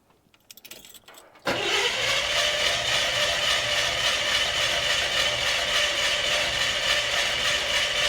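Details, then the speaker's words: Chevrolet Suburban engine suspected of blown head gasket, very lean spark plugs; compression test cranking at roughly 210 pulses a minute, even but soft, with one cylinder reading only 100 psi, not good. "That one's only at 100. That is not good. Not good at all."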